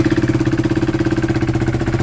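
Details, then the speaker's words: KTM single-cylinder motorcycle with original exhaust refitted, joint sealed with gum after bushing didn't fit, bottom bolt not yet in: steady even idle, no puffing or ticking at the exhaust joint; sounds sealed. "Yeah, that sounds fine. I'm going to actually let that sit for 5 minutes, seal up the gum"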